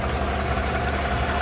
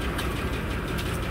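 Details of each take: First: 2015 GMC Sierra 5.3 V8 after replacing the bent #4 exhaust pushrod, rocker bolt torqued 22 ft-lb, new valve cover gasket: smooth, even idle with steady low rumble and no ticking; normal idle. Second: 2015 GMC 5.3 V8 cold idle with codes P0300, P0304, P0172, P0324: faint regular tick over slightly uneven rumble, running rough with misfire; bent number 4 exhaust pushrod off its rocker arm.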